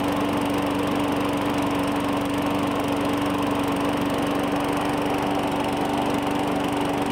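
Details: 2017 Murray 21" mower, Briggs & Stratton 450E, after cleaning the dirty carburetor: steady even buzz with no misses or surging; normal running, no smoke, just washed so air filter likely a little wet.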